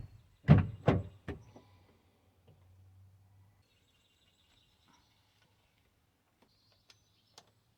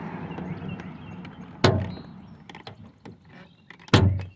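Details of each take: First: Toyota Sienna door check stop after welding repair; three firm door thuds over a low idle hum with no popping, clicking or grinding, door closing fine all the way out and in. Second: Toyota Sienna (2004–2006 era) door: a heavy clunk partway through opening and a thud on closing. The door check stop is broken and had been welded before; the fix is re-welding and riveting it.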